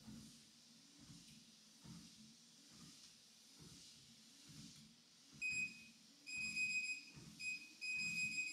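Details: WalkingPad X218 dual-folding treadmill: quiet motor under steady footfalls, about three or four a second, a few console beeps, no ticking from the belt; runs clean.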